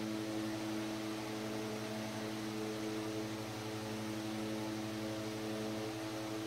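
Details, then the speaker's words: 100-plus-year-old Century S-3 Model 15 desk fan on high speed, straight wall power about 123 volts: smooth steady motor hum with soft airy rush, no scraping or ticking; normal running. "But for right now, I'm just going to do a straight out of the wall test. So here we go, starting with high speed."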